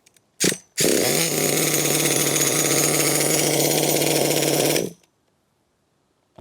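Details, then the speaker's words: Nitro HPI Savage monster truck two-stroke engine at idle holds a high, buzzy note with slight drag; the clutch grabs when it shouldn't, and a weak clutch spring is suspected. The low end is also unhappy after a jet blockage, with a possible carburetor issue. "the clutch is grabbing when it shouldn't be. I think one of the clutch springs is a bit weak."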